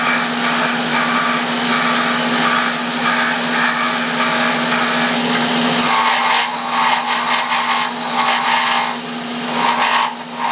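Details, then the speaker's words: Lathe turning a wooden prototype split pattern, tools adjusted by hand: rough, buzzing scrape over a steady low hum as the tool chatters fairly badly against the spinning wood. "so i'm chattering fairly bad and i don't that's not a good thing"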